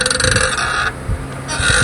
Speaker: আর এইরকমটা যদি হয়, আপনার গাড়ির যে বিয়ারিং, চাকার যে বিয়ারিং, এই বিয়ারিং বারবার ভেঙে যাবে, আর এই ক্যাচার ম্যাচের শব্দ করতেই থাকবে।